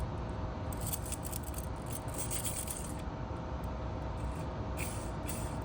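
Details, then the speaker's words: Volvo 740/940 manual transmission throwout bearing, removed and spun by hand, gives a dry, loose, gritty rattle instead of a smooth spin; the bearings seem very loose and probably worn, with metal fragments from the pivot ball nearby. "I don't know what they're supposed to sound like. But this one sounds very like the bearings are very loose. So, my guess is that's not what that's supposed to sound like."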